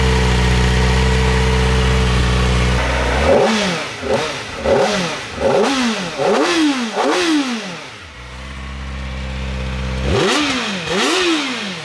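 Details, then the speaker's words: Kawasaki Ninja ZX-4RR 400cc, revs to 16,000 rpm, on stock exhaust before titanium exhaust and K&N filter install: smooth idle, then about five sharp blips rising to a high scream and dropping cleanly; revs freely, healthy. "Doesn't that sound crazy? And that's a stock exhaust. Just wait till we throw that titanium thing on."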